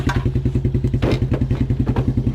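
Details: 1987 Suzuki Quadrunner LT230E ATV single-cylinder, idling outdoors after throttle and air filter replacement; steady even beat roughly eight pulses a second, no misses or knocks; healthy idle.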